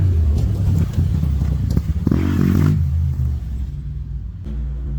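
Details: 650cc Joyner side-by-side engine after a head gasket replacement and a 55 A Toyota alternator upgrade: catches quickly, settles into a steady low rumble and blips up briefly. Running normally.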